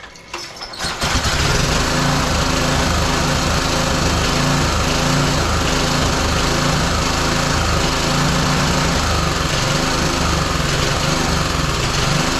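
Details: Roadside-salvaged small single-cylinder lawn mower engine for the Tommy Gun mini bike, after choke on then off; it catches after a rough start and holds a fast, fairly steady buzz with no clear fault audible, before a spark plug change.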